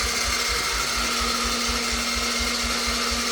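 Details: 1988 Yamaha YFM80 ATV during rebuild, first start attempt with new starter, carburetor and throttle cable: starter spins freely with a light, even whirring pulse and no firing or compression thump; little or no compression, sounds bad.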